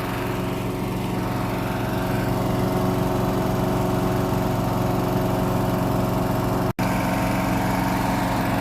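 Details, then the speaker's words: Briggs & Stratton mower engine after diagnosis and repair: a steady, even drone at constant speed with no misses or surging. It runs smoothly. "Oh, listen to that. Humming like a baby. There it is, guys, running. A nice little mower."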